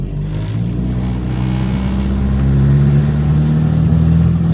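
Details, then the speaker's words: Ford Focus on a test drive after AC compressor work and cooling system bleed: deep, boomy engine drone and vibration coming into the cabin under acceleration, caused by bad engine mounts. "listen to that that noise is all the vibrations coming into the cabin because of the bad engine mounts"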